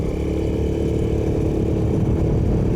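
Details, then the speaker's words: 2007 150cc GY6 scooter, parked since 2016 and repaired incl. a stripped spark plug hole, pulls under acceleration with a steady, even drone and no knock; exhaust rattle noted. "and it's not knocking or anything that's actually super awesome"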